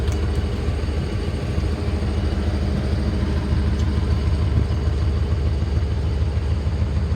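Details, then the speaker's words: 1995 Ford F-350 XL cab and chassis, 7.5L gas V8, warmed up: deep, steady idle with an even beat, no misses or knocks. The motor sounds nice and even, a healthy idle. "Chassis looks nice and straight. Motor sounds nice and even. This is a workhorse of a truck."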